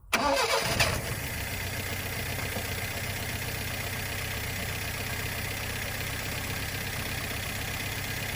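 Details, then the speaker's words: 1972 Plymouth Cricket newly fitted with a carburetor and filed points: the engine catches and settles into an uneven, lumpy idle with light ticking. The owner suspects loose valves, perhaps one or two tight causing backfiring, plus imbalance. "a little rough now the valve sound loose you can hear them pretty good but i'm thinking that there's probably one or two of them in a little tight part of that might be the back firing through there but it's also the imbalance"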